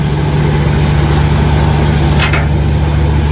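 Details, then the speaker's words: 1982 Chevy K10 that sat nearly 5 years, idling while the plow hydraulic pump is tested. Steady, even low rumble with no knocks or misses. Normal idle; the engine is running smooth now. "Man, she's running smooth now. I'll tell you what."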